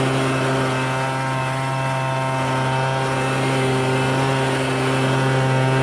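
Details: MTD Bolens BL125 two-stroke leaf blower after carburetor repair and adjustment for no-start and bogging: steady even drone holding one pitch without bogging or surging; engine running clean, carburetor dialed in.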